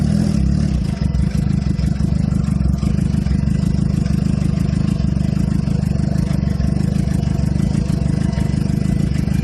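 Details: 2007 Suzuki GSX-R (K6) started cold after sitting: runs low and uneven, never settling to a proper fast idle, with a loose clattery pulse underneath; exhaust smells very rich, seems to occur only in cold weather. Cause unclear.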